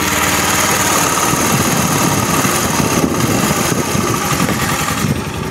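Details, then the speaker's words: Rex RS 450 four-stroke scooter after valve clearance set to 0.10 mm: steady even idle with only a faint light tick, earlier sewing-machine valve clatter gone; valves correctly adjusted. "teraz bardzo cicho, naprawdę całe słychać ich stukanie bardzo cicho, musi być naprawdę słuchasz uważnie zawory już nie są tak głośno jak wcześniej"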